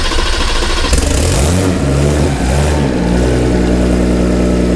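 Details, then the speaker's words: Dodge Viper ACR swapped from V10 to a turbo Hurricane inline-6 with 8-speed, first start, no exhaust: brief crank, then a loud steady open-exhaust idle, no knocks; oil pressure building, air possibly in system. "Like I said, I just want to start up quickly. It runs, but I want to double check, make sure we got oil pressure and all that good stuff."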